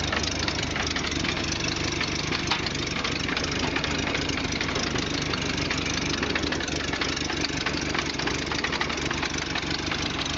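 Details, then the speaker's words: 1929 Ford Model A pickup, old four-cylinder flathead with updraft carburetor, idling with hood open: even slow idle with a sharp puffing tick on each firing pulse; small exhaust leak. "she is an old Flathead it's got a bit of an exhaust leak"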